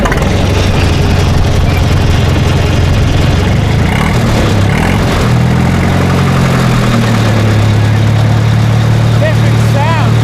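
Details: Case LP DC4 tractor running on liquid propane, distributor ignition rather than magneto: loud, even low rumble holding a steady idle with no misses, knocks or rattles; engine settled and running well.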